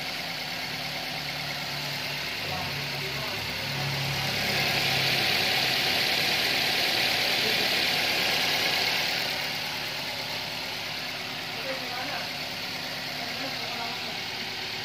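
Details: Toyota Avanza after the failed alternator diode was replaced: steady idle with no alternator whine or hum, and the alternator is charging again. Normal idle.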